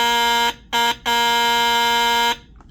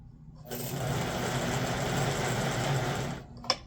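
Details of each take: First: 1958 (owner thinks) Lionel 2383 Santa Fe F3AA diesel locomotive horn, bench-tested outside the shell after cleaning and adjusting the flapper angle, which sets pitch: strong, steady buzzing horn in three clean, even blasts. It works properly and sounds far better than before. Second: 1958 (owner thinks) Lionel 2383 Santa Fe F3AA locomotive before truck regreasing, E-unit lever slow to drop: coarse, uneven buzzing whir laboring for about three seconds. Stiff motor from old nasty grease in the trucks, later replaced with white lithium grease and oil.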